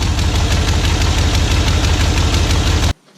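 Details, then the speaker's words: Second-gen Dodge Ram 1500 V8 at idle after reinstalling missing exhaust header bolts: sharp, regular puffing ticks about three per second over a rough idle; slightly quieter but headers still leaking. "But let's start it, see if it's any quieter. Bit better, but those headers are still shot."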